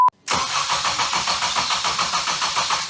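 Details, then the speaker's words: Supercharged Ecutek-mapped FN2 Honda Civic Type R after new starter motor, knock sensor and thermostat: fast, even cranking about seven pulses a second that never fires; crank-no-start, a selected Ecutek map prevented starting. "got all that in, got it all back together, and now it cranks over, but it won't fire."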